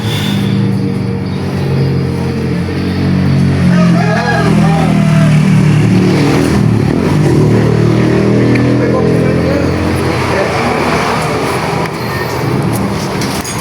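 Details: Honda Vario 110 scooter with lost ignition, fault traced to the regulator (kiprok), spark plug cap refitted for testing; steady, even putter with a low, constant beat and no knocks or misses; engine runs normally.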